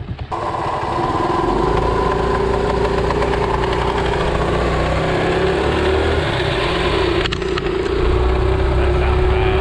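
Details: Postie motorcycle, small single, just kick-started after long-standing nasty noises: buzzes at a fairly steady pitch with an uneven ragged beat and rattling felt as vibration; rough-running, tired engine.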